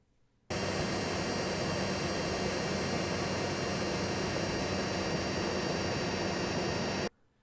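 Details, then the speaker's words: 2023 Chevy Bolt EV at about 5,000 km, heard from outside the car: the AC runs with an airy rush and a thin, steady high-pitched whine like a small cheap computer fan. It can't be heard from inside, and it is normal operation. "sounds like utter trash it's this high-pitched horrible wine that's kind of embarrassing good thing you can't hear it from inside the car but this sounds like a cheap tiny whiny computer fan rather than a confident powerful air conditioning system"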